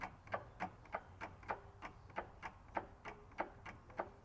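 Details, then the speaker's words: 2012 VW Golf Mk6 2.0 TDI, driver's-side inner CV joint at the diff: sharp clicks, about 100 a minute, as the driveshaft is rocked by hand and wobbles in the joint; worn inner CV joints cause vibration and wobble under acceleration. "and how it's wobbling around in the CV? The CV boot itself is the CV joint where it bolts to the diff isn't moving at all, but the drive shaft is turning."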